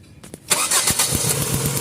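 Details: Hard starting, suspected gasoline flooding: short cranking, then the engine catches with a rough uneven beat before settling.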